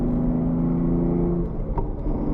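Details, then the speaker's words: BMW F80 M3 driving after the rough-shifting SPEC clutch was replaced with a PTB clutch; revs drop cleanly at each shift and pull again with no clunks or grinding, smooth and healthy, normal gear shifts. "I don't know if you noticed on my clips from before when I had the spec clutch how rough it was for me to get in and out of gear."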